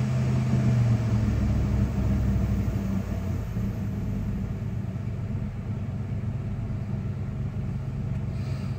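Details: 1996 Dodge Ram 5.2 V8 just after a throttle body cleaning and new IAC valve: deep, even idle rumble, steady with no hunting or stumble, settling slightly lower. It idles a little higher than before; previously RPMs dipped very low on throttle let-off. Normal idle.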